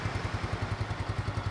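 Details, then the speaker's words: Yamaha Mio 2010 scooter engine, first teardown after 10 years, idling after cleaning spark plug and filter and re-tapping stripped intake bolt and spark plug threads: even steady putter, solid, soft, cool, crisp, no leaks or misses; engine smooth, normal idle. "lembut, adem, tapi garing gitu, nggak ada bocor-bocor. Mesinnya juga halus."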